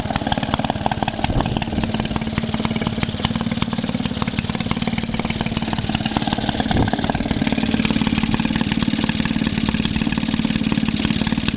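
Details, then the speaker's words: Maytag Model 72D single-cylinder washing machine engine: rapid popping beat near four a second that wanders and hunts; fuel mixture still not set to the best-running position, owner adjusting it. "Still can't find where she'll run the best though. Certainly not where she'll run the best."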